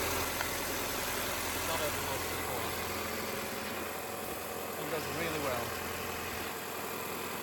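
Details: 2006 Audi A6 C6 2.0 TFSI (BPJ), which had jerky cold starts and codes P2279/P2177/P0507, just after PCV valve replacement: a smooth, even idle with a steady low hum and no hiss, surge or stumble; running healthy.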